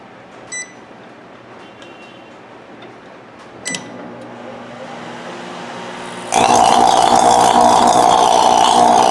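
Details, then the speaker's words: Sharp microwave oven sparking heavily inside with a loud, harsh electrical buzz while running; arcing at a burned-through waveguide cover, which is to be replaced or repaired. "so run for a few seconds and you will see inside here inside you see i'm not a heavy sparks coming out plus it making a lot of loud noise"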